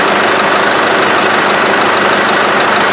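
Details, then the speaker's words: Isuzu 4BD1T turbo diesel in a Land Rover Defender, fully warmed up before compression test: even steady diesel clatter at warm idle, no misses, hunting or odd knocks; running fine. "right so it's nicely warmed up now everything's nice and warm um we have to warm up the engine in order to do a compression test"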